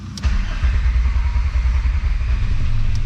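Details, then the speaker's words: VR5 Savoy on its first drive, starting after work on a suspected grounding fault behind a popping fuse and a 20 amp fuse refitted: brief crank, fires and settles into a steady, even low rumble with no misses or knocks; clean start. "oh give her a second hold on gotta push the fuel through it again sounded good though"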